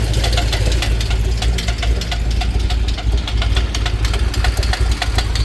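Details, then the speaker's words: 2008 Corvette Z06 LS7 (ported heads, BTR Stage 4 cam, Johnson 2116 lifters, long-tube headers) with fast, sharp ticking over a lumpy idle. One pushrod has no preload; owner is pretty sure it's a collapsed lifter and tried ATF with fresh oil. "So, I think I have a collapsed lifter. Pretty sure that's the issue."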